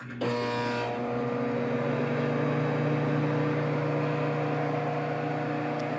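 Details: Samsung 1.9 cubic foot microwave on start-up: a clunk at switch-on, then a steady loud hum with a strong buzzing tone that stays constant; strange, abnormal vibration noise while running.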